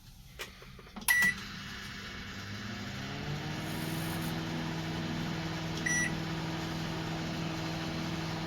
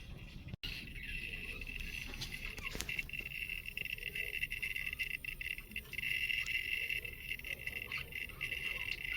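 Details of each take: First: Redmond RM-2302D microwave running after replacing an oxidized part near the insulator that caused a grinding noise: after the start beeps, a smooth, even low hum with no rattle, buzz or scraping. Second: Redmond RM-2302D microwave running with steady high hum and irregular scraping, grinding noises from inside; it still works and heats, owner unhappy with the noise.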